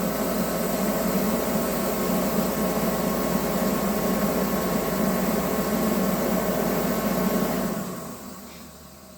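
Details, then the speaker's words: Pro 80,000 BTU kerosene torpedo heater unused for a couple of years, about half tank of kerosene: motor and fan drone evenly, no flame whoosh, shuts down after about eight seconds; burner fails to ignite, no spark or no fuel suspected. "All right, it's kicking on. So you can hear it trying. It'll shut down in a few seconds."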